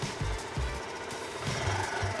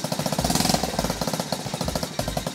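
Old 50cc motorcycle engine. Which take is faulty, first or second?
second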